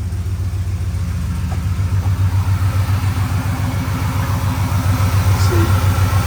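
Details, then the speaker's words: 2002 Ford F150 Harley-Davidson supercharged V8 just restarted after front teardown with new oil pump installed (owner nervous about timing chains), idling back down, not yet warm: deep even burble, no knocks or ticks, oil pressure good; normal idle. "Idling back down, starting to anyway. Overlook power steering pump. Sounds good. Oil pressure's up there."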